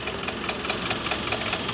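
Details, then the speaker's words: Anest Iwata PD250 mobile diesel compressor, power switched on with engine not yet running: the fuel primer is heard filling the diesel, a quick, light, steady ticking about five per second, normal primer pump operation. "Once you have power to, you can hear the primer. It's starting to fill the diesel."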